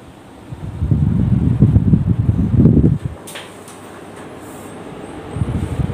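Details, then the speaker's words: Split wall AC indoor blower fan that had stopped turning, after repair, switched off and on again to check for sticking: a low, even airy hum that drops away briefly then comes back steady; it starts turning at once, a normal blower run. "hai oke putarannya sudah kembali normal I hope"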